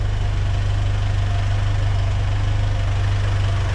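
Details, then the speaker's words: Ford Ranger 2.3 after a new exhaust system from the manifold back (cat, mid pipe, muffler, tailpipe): steady low idle with no exhaust ticking or puffing. Exhaust is quiet and the engine is barely audible at 65 mph; the alternator makes a little noise. "Well, 65 mile an hour and you can't even hear the thing running anymore. It's a heck of an improvement. Back, and exhaust is quiet."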